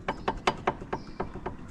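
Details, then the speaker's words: High-mileage Citroen C3 PureTech bought from Copart, checked from underneath before a test drive while a wheel is rocked: sharp dull knocks about every fifth of a second from a worn inner tie rod end on one side; the other side is good. "that looks like inner truck end on that side that side's good yeah so it's kind a in a rack in that side"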